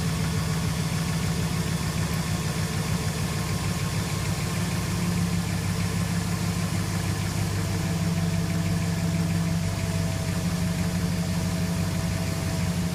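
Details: 2006 Jeep Commander 4.7 SOHC V8, fully warmed at idle: steady low hum with a faint odd tone riding over it that can't be pinned down by ear; abnormal engine noise, cause unknown.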